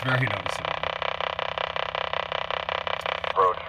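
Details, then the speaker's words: 1988 Acura with mobile HF rig: receiving WWV at 10 MHz on AM, first with the engine off, then running. A faint, fast, even ticking buzz over the hiss tracks the engine, barely audible: ignition RFI remaining after bonding and noise-reduction attempts. "now the car is off and I have WWV at 10 MHz coming in pretty well that's with the car [Applause] off that's with the car on ever so slight you can hear it but barely barel"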